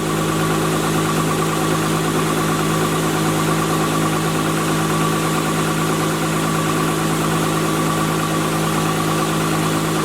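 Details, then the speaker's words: Spartan Urban Warrior hydro jetter, water on, raised to about 2200 RPM. Steady even drone with the pump humming, no surging, knocks or leaks heard up top. Normal running. "now we got it Juiced up right now I'm going to give it some more RPMs we're at uh like 2200 RPM"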